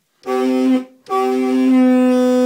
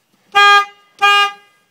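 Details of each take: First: 2003 Honda Element compact SUV, all-wheel drive, original horn dead: two short honks with a thin, reedy, goose-like tone lacking punch; weak, failing horn, to be replaced with a FIAMM Freeway Blaster low-tone horn. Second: 2003 Honda Element after replacing the dead horn with a FIAMM Freeway Blaster low-tone horn, turned to face the back plate: two short, loud, clean blasts with a bright steady pitch, no rasp or drop-out; normal horn.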